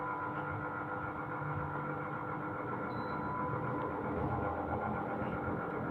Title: (GREE OEM) SHARP AH A5UCY AIR CONDITIONER [NOISY]